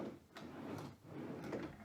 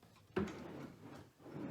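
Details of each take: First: New replacement drawer slides on a brand-new item: soft, even rolling hiss as drawer runs in and out, no scraping or catching, unlike the dragging original slides. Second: Hear that dragging in there? You don't hear that here. That's the difference in quality of slides.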